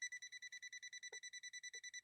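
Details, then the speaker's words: Swedish sewing machine imported from London, powered at 230 V through a step-up converter: rapid, even high-pitched beeping, about eight a second, as the tester detects live voltage. Voltage-present warning. "anger danger there's voltage there there's voltage now"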